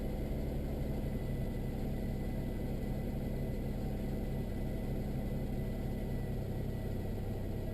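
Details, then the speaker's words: 1999 Nissan Maxima just after bank 1 and 2 ignition coil pack replacement, battery reconnected: cold engine starts right up and idles with a low steady rumble, idle dropping as it warms, no skips or misfire. "sure our idol starts to drop well i'd be honest i don't feel any missing right now starting to come down from cold"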